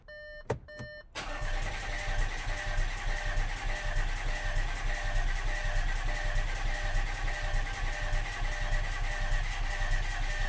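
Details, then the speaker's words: 2014 Audi S5, 82,000 miles, bought with blown engine, after mechanical overhaul, first crank before starting to build oil pressure: starter turns engine over at an even, unbroken beat without firing; healthy, equal cranking compression. "Now, that sounds like an engine with healthy compression."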